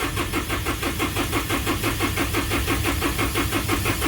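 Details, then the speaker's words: 2012 Isuzu 4JJ1 diesel, codes 335/336, crank sensor and ECM already replaced: long steady cranking pulses about three per second with no catch, engine speed reading jumping; crankshaft position sensor gap too large. "So that was an excessively long crank, and you can see the speeds were jumping around."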